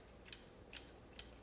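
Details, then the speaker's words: Fountain pen with fine flex nib and cartridge converter makes faint sharp clicks when capped. Cause unknown; the owner suspects the nib is clicking against the cap walls. "That click though. Why does it click? I don't know what the clicking is about."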